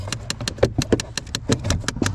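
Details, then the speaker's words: 2012 Chevrolet Impala, key on, loud irregular rattle-clicking behind the dash, glove box area, at about five clacks a second; found to be the failing recirculation door actuator. "yeah that's the uh recirculation door actuator that was definitely making the noise"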